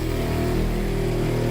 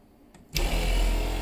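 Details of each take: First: Tiny-house rainwater PEX (RV-style) plumbing: pump filling the cold-water line to the rest of the house; even low hum with a steady buzzing drone, no surging or rattles, normal pump running as lines fill and pressurize without leaks. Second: Tiny-house rainwater PEX (RV-style) plumbing: pump switched on to pressurize the line, steady low motor drone with no sign of water flowing; nothing reaches the line, likely air-locked, pump running without delivering water.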